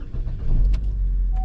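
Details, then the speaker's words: GMC Terrain right after battery replacement, ignition on about 5 seconds first: short crank, engine catches right away and settles into steady low idle; normal start, no warning lights on dash. "there you go, it cranked right up. We have no light on the dash."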